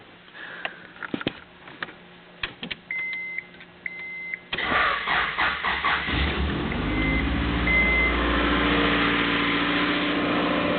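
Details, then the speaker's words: Cold start of a junk 1995 Honda Accord EX F22 SOHC VTEC, 206,000 miles, engine rebuilt a couple of years ago, with cold air intake: light clicks, catches within a second, smooth even idle, no knock or miss, intake airflow audible. "she seems to run smoothly and I can actually hear the airflow through the cold air intake filter"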